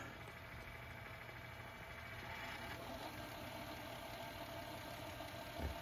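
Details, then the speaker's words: Zenith XBV243 VCR/DVD combo, VCR in fast forward: soft, even whir with a faint steady tone and no clicks or squeals; tape transport runs very quiet and healthy. "Like I said, very quiet, right?"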